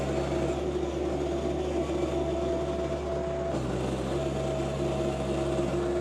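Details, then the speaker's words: John Deere 2025R compact tractor with a Tarter RT205 rototiller whose seized top gearbox, caused by leaked oil, was repaired. It is tilling garden soil, recorded from a tripod. Steady tractor drone with an even gear hum and no knocks or grinding: normal tiller operation. "so I'm going to put you on on the tripod maybe a time lapse here and get this uh broken up even more"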